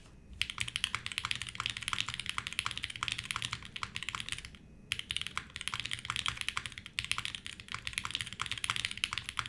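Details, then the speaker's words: Navi60 keyboard build with lubed switches and stabilizers and o-rings: quick, dull keystrokes in bursts; owner suspects the muted sound comes from the tangies switches being slightly more lubed than they should be. "the mutedness might be the tangies they were not heavily lubed but they definitely feel like they were a little bit more lubed than they should have been"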